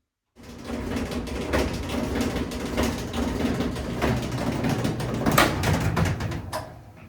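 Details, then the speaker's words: Maytag electric dryer running: low rumble with frequent irregular thumps and rattles about four per second; noisy dryer drum, likely from items like zipper pulls caught in the dryer, uncleaned for about a year. "Today in this video, we are going to repair a May Tag electric dryer that's making a lot of noise."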